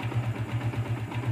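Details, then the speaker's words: Yamaha Vixion Advance single after repair: oil pump wasn't lifting oil to the head, wrecking rocker-arm shaft seats and valve caps and causing harsh ticking; torn seal replaced, gasket residue cleaned, oil now reaches head. Even, smooth idle, no ticks or knocks; healthy again. "motor kembali normal kembali sehat walafiat tidak jadi ganti blog at"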